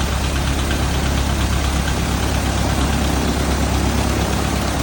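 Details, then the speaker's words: Thorp T-18 homebuilt airplane, first start after about 6 months sitting, fresh fuel and new starter: steady, even propeller-engine drone holding without stumbling under heavy wind roar; normal running. "Oh, she wants to run. She does. In and locked. Okay, here we go. Clear prop. Oh yeah. Woo! She runs, boys."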